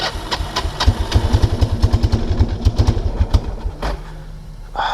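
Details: 1999 Kawasaki Prairie 300 ATV, single cylinder, on trail with gas cap removed: uneven lumpy chuffing that stumbles and fades despite throttle; stuck-open carburetor float, running rich.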